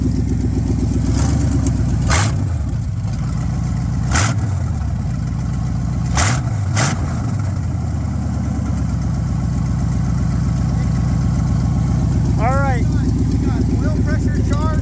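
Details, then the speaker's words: Truck V8 first start after fitting new headers, exhaust with 2-inch high-flow cats: deep, even burble with clean throttle blips, no ticking or exhaust-leak puffing; idles fine, feels loud in the chest, runs healthy. "It's actually not that loud. I felt it in my chest whenever you'd rev it. I mean, look, it sounds fine."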